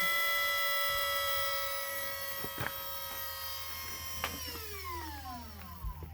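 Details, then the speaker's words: 1986 Fox-body Mustang fitted with Volvo S40 electric power steering pump, engine running; quiet, even electric whir whose pitch settles and drops, no groan or whine; pump healthy, that is as loud as it gets. "let's see that's the pump running right there and that's as loud as it"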